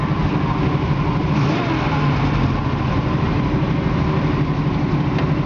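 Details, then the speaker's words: 1968 Chevrolet Camaro SS convertible V8 at idle: a deep, even rumble with a steady beat and no knocks or ticks. The engine runs great with plenty of power, and the transmission shifts well. "It's got a good sounding engine to"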